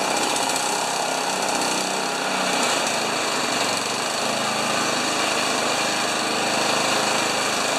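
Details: Honda HRA214 mower unused for two years, after cleaning plug, new gas and draining carb bowl; steady, even high-speed buzz, about 3270 rpm with blade clutch disengaged, idle around 1500 rpm, no misses or surging; normal running.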